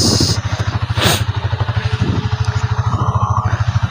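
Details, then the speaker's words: Rossi TC125 after an overhaul that dealt with a chipped transmission gear, engine refitted to the frame: steady single-cylinder thump, even and clean, with no gear clatter. The engine noise is gone and it idles normally. "Ito ang kanyang makina, tahimik na, wala nang ingay mga guys."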